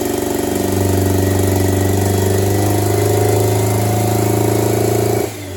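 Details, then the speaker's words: D16-swapped Honda Integra petrol engine idling lumpy like a tractor, uneven heavy chugging about four pulses a second, firing only on cylinder three; compression tested fine, swapping injector clips showed only one working. "so as you can hear it runs just like a tractor and rightfully so because it's only running on cylinder three did a compression test because it sounded like a compression problem compression's fine"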